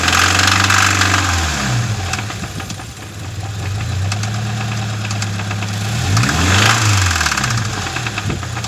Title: 2013 BRZ Engine Rev Ticking Sounds